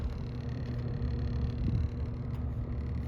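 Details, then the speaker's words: 1981 Lakewood K-223 fan, bought 1983, running after a slow startup: low steady hum with a faint constant motor whine. "oh yeah the motor is whining you hear that"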